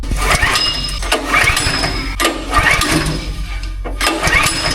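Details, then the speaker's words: Small Honda engine driving a hydraulic pump on a 10x10 truck build: repeated pull-starts about a second apart, turning over without firing; no start because there was no gas in it, oil also low. "I know what's wrong with it. Ain't got no gas in it."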